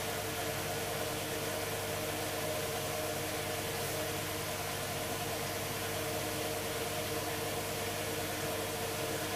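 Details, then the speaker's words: Hoover Dynamic DXCC69IB3 9 kg 1600 rpm washing machine, final spin reaching full speed: steady, even whoosh of draining water with a faint motor hum and no knocking or grinding; the drum spins smoothly and very quietly. "the drum itself is making barely any noise at all as you can see starting to spin at full speed now"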